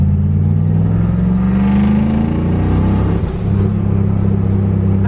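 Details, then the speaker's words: Turbocharged Mustang Bullitt on an On 3 Gen 1 kit after fixing exhaust leaks at the flanges and gaskets, under load: a deep steady drone with a strong, even rumble and no ticking; the turbo now spools normally below 4800 rpm. "all right guys the car is actually way better I haven't heard turbo noise like that in this car in a long time it's actually spooling below 4800 rpm"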